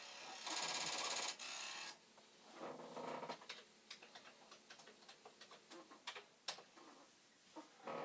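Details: Commodore 1541 disk drive with a loosely attached circuit board, after tweaking the head stop adjustment: rapid uneven clacking about three per second over a soft whir as the head bangs its stop on a failed read.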